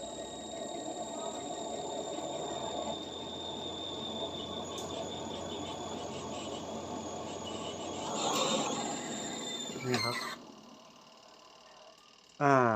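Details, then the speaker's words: Washing machine spin side that would not spin, fixed by sanding the melted, non-contacting spin switch contacts: a steady high whirr with a thin squeal as the drum spins up, then the lid clunks; spin now normal. "เดี๋ยวผมจะปิดฝาแล้วก็ลองเทสดูโอเคได้ยินเสียงปั่นเรียบร้อยครับ"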